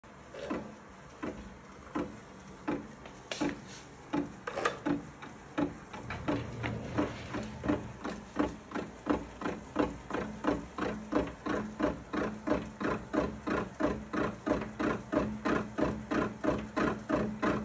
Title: Echelon Ex5 Grinding Noise